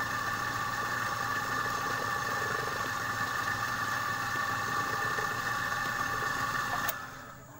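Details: Air compressor after repair; it had jammed and stopped because a stone in the valve lodged against the piston. Now a steady drone with an even pulse of about three strokes a second before shutting off; runs smoothly.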